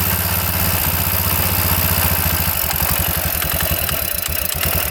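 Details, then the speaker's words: 1999 Suzuki RM125 two-stroke dirt bike that would not start, after being fixed. A crisp, even pop at a steady fast idle with no misses or rattles; the engine now runs cleanly and much better. "Alright, this one's all fixed. Alright, that's a lot better."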